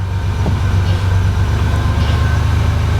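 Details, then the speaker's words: 1987 Buick Grand National, not run for about a week, after swapping the failing Power Master for a vacuum brake booster: fires up easily and settles to a steady, even idle with no stumble or hiss; normal idle. "fires up pretty easy it hasn't been running in about a week now"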